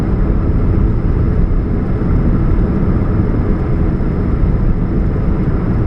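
Steady low drone from the engine with no knocks or ticks, a constant hum that points to a leak at the catalytic converter.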